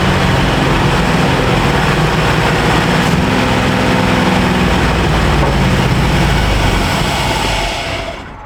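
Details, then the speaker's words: 1951 Chevrolet half-ton truck, long sitting, old fuel: rough uneven low-pitched running holds several seconds, runs longer than before, then fades and stalls on choke; still running out of fuel, lean. "It ran quite a bit longer. Yeah, I think it's still running out of fuel though."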